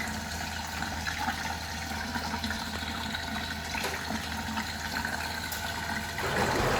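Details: Lincoln Prestige washing machine, over 40 years old and new in its box, on its first test: a steady rushing hiss of water filling the drum with faint splashing and no knocks or hum; filling normally.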